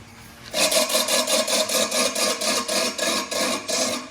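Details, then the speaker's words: Scott Bonnar Supercut model 17 reel mower, freshly ground reel refitted and adjusted to the bed knife: about four uneven scraping rubs a second as the reel spins. Owner thinks the reel is out of round. "Now the problem I'm having is I don't know about you, but that sounds like it's out of round. A little bit annoying, but nevertheless it's working."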